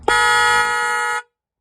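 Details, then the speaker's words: Haval after replacing its weak stock horns with an aftermarket horn kit: a single loud, steady, full-toned blast of about a second, a normal healthy horn. "Вот так вот звучат нормальные коласоны."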